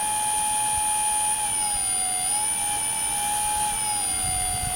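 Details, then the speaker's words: Brushless motor on modified I2C ESC (Turnigy 18A Plush based, patched firmware) driven by Arduino tester at 200–500 Hz update rates: steady high whine, pitch dipping and rising smoothly as speed changes; motor running normally. "200 hertz you can clearly hear that the engine is actually changing the speed all the time"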